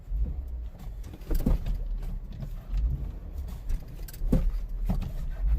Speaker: Telltale sign that there is something wrong and something loose in your suspension causing that Jeep death wobble. Hear that clunking?